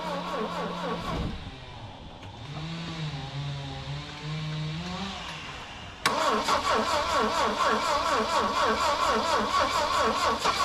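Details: Saab Sonett III cranking at first start attempt after sitting in mud since 2012: steady cranking about two beats a second with occasional half-catches; the distributor was loose, so the timing may be off; the firing order was checked as correct.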